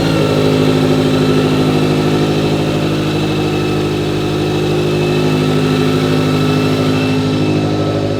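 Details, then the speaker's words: Toyota 86/Subaru BRZ/FR-S with newly installed Kraftwerks supercharger, upgraded injectors and header, first start after priming blower oiling system; strong, even note settling to steady idle with smooth rev blips, no knocks or whine: normal. "all right so we've done all that process Adrian's gonna fire it up for you once you hear it for the first time"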